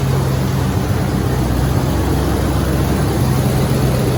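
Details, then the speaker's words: Freshly reassembled carbureted engine (coil, distributor, hoses just hooked up) runs with a loud steady low rumble, even beat, no knocks or misses. It started without priming or starter fluid; normal running. "I didn't even prime it with gas. I know. We didn't put gas in the carburetor. We didn't hit it with starter fluid. It just wants to run."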